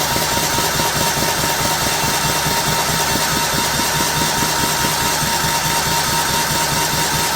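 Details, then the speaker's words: First start of replacement 15 HP Kohler in John Deere LT150 (new air filter): uneven chuffing about two beats a second, never catching; hard starting, owner suspects fuel pump struggling to prime, adds gas to help. "we'll give it a little shot a little help here the pump might be uh struggling to get a prime there so we'll make it run a little faster"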